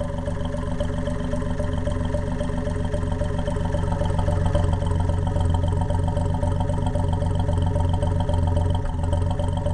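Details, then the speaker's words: Undertiller engine run without exhaust, lifters not yet adjusted and timing off: loud, deep, steady thumping idle at about 220 beats a minute with raw open-exhaust bark, no clear tick; rough open-exhaust idle. "okay there she is that's not too bad still ain't got the lifters adjusted yet timing a little bit"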